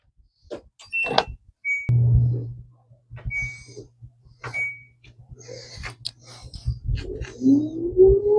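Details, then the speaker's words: LG front-load washer WM2016CW after spider arm replacement: panel beeps, short hum, then smooth rising tone as the drum spins, with no banging or scraping; spin now normal. "All right. And that sounds good. And I took a closer look at it and it looks like it's spinning. exactly the way that it should."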